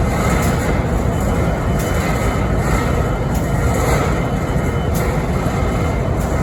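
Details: Idling BNSF 5910 diesel locomotive in Springfield, Missouri (11-13-2022): deep diesel rumble with sharp hissy ticks popping irregularly about once a second; strange idle noise, source unclear.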